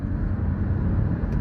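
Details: Third-generation Mini Cooper that stalled after sucking a rag into the turbo inlet, rag removed and fault codes cleared, driven under acceleration: a steady, even low rumble with no knocks or misses; it pulls smoothly with full power.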